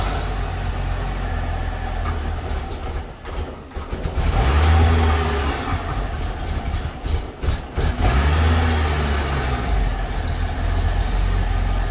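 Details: 2008 Hummer H3, 116,000 miles, just fitted with a Magnaflow cat-back exhaust: start cranks and catches with stumbles and dips, revs up, then settles into an uneven lumpy idle, code P0300; recurring at random start-ups, owner suspects soft valve seats in the head.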